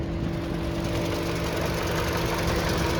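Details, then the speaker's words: 2021 Toyota RAV4 LE at idle, bonnet open: smooth, even idle with a steady low hum, no knocking or ticking; engine sounds healthy, normal idle. "and you can see just how clean it is this thing is awesome no knocking no ticking sounds good perfect"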